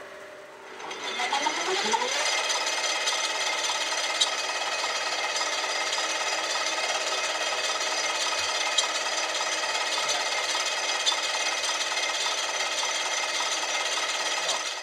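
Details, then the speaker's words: 1959 Cincinnati HydraShift engine lathe, unused for decades, headstock in high gear (980): spindle spins up, then a steady harsh rasping grind over the whine; suspected bad gear bearing inside the collar, small belt also loose. "it sounds like there's some sort of a bearing in here that's going bad"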